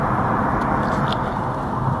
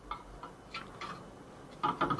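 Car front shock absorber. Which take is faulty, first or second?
second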